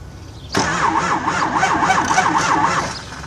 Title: No start